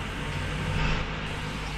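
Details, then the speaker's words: 2014 Toyota Camry with code P2111, throttle actuator stuck, after the codes were cleared. A steady fast idle around 1200+ rpm that won't rev or respond to the pedal; the learning value reset was not yet done. "इस तो ये आप देख सकते हैं race ही नहीं ले रही गाड़ी"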